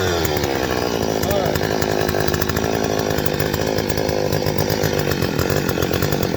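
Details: Stihl 025 two-stroke chainsaw: the revs climb, then the pitch sags and stumbles to a lumpy low speed instead of holding, so it bogs after rev-up. A vacuum leak is suspected and being checked by squirting 2-cycle mix around the saw.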